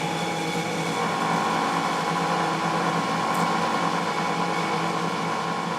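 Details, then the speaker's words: Boxford lathe single-phase motor, removed from the lathe for checking: steady even hum, constant tone, no knocks, rubbing or rattles; on switch-off the centrifugal switch clicks after a second as contacts disconnect; motor healthy. "now when i switch it off after a second you'll hear the click which is the centrifugal force disconnecting the contacts inside the motor"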